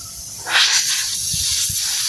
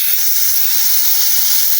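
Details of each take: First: Polytron one-door fridge after the clog repair: with the compressor running and the vacuum pipe plugged, gas hisses steadily out of the open pipe. The new filter, the capillary to the evaporator and the return line to the compressor flow freely, with no blockage. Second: Polytron one-door refrigerator not cooling, compressor off: capillary vacuum tube cut and freon sprays out with a steady sharp hiss, frosting white on the finger and smelling of refrigerant, showing the system is clogged.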